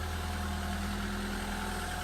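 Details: 1993 Peugeot 205 Style, 1.1 litre petrol, unmodified engine, garaged and unused for 5 months, replacement back box fitted five years ago: an even, settled hum at steady revs with no misses, ticks or exhaust rasp; idles cleanly.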